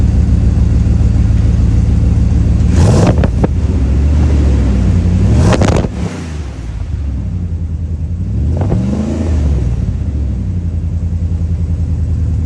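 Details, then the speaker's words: 1999 Dodge Durango right after its falling-apart muffler was replaced with a new glass-pack muffler: deep, steady low rumble with clean rev blips that rise and fall smoothly, no rattles or leaks; healthy exhaust, job judged well done. "I think that sounds pretty good myself I think a job well done to myself"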